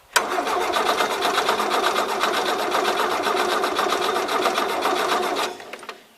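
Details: 1977 Gravely GMT 900 tractor in neutral on a jump box, points cleaned, a little gas added; starter turns it over with a steady pulsing beat for about five seconds, almost fires but never runs; spark uncertain.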